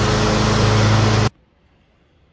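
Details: John Deere X320 riding mower with 48-inch deck after deck belt replacement: about a second of steady, even engine and deck roar; running normally.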